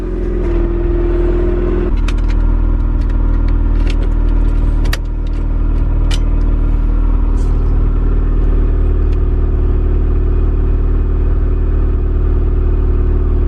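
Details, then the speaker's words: KRX project car at idle with the clutch engaged: steady whir of fairly constant pitch that goes away when the clutch is pressed; owner unsure whether input shaft bearing or release bearing. "But I'm not sure if this is an input shaft bearing. I'm not sure. Could be the release bearing. You can hear that noise. And then when I step on the clutch, it goes away."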